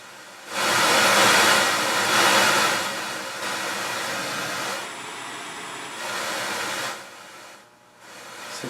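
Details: Realistic STA-2500 digital AM/FM receiver on speakers: harsh rushing hiss surging and dropping as power draw climbs toward 70 W, the right channel quieter and heat sinks live; a faulty right amplifier is suspected.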